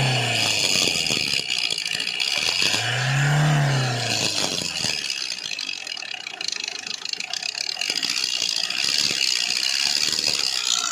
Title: hyundai verna crdi vgt 2009 engine rattling sound 2lakh kms on odometer #hyundai #verna #crdi #vgt